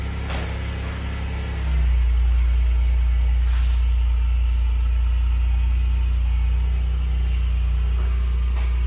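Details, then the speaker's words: Copart Pontiac Grand Prix after new valve cover gaskets and upper and lower intake gaskets: engine catches, then settles into a steady, even low idle with no misses, ticks or knocks; healthy. "I've had her running for a good minute and I remembered you tighten that up"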